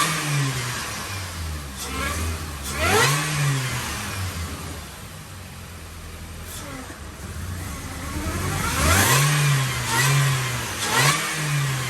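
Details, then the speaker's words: 2005 Mini Cooper S R52 convertible bought with a reportedly noisy engine, started with water in the system: it starts promptly, then clean throttle blips rising and falling smoothly with no knocks or rattles. Normal start and rev. "also can't run it very long he's got a water in the system but it starts"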